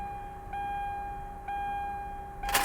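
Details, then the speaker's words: Car at an insurance auction with the fuse box cover off: faint steady electric hum and soft clicks at key-on, the fuel pump priming, but no starter cranking; a stolen relay is suspected, unconfirmed. "I hear the fuel pump somebody stole a relay didn't they"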